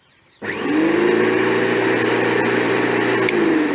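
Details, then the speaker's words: Qualcast electric lawnmower after no-start diagnosis and switch wiring repair: motor spins up quickly to a steady, even hum with no rattle or stutter; running normally. "There we go. So that's all working good and proper now."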